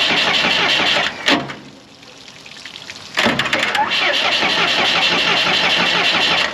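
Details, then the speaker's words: Morbark 2400XL track chipper's 4BT diesel, bought at auction sight unseen, cranked with battery jumped to ignition and throttle in: the starter churns quick and even, about four beats a second, but it never catches; a cracked injector line shows no fuel, a no-fuel crank with no start. "Get any fuel? Nada. No fuel yet. Okay. So we got a no fuel issue."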